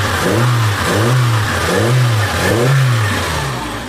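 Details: Samsung Korean car with hard starting and lack of power, after fuel pump replacement and adjustment: engine revs up and falls back cleanly about four times, smooth with no misfire or stumble; now fixed.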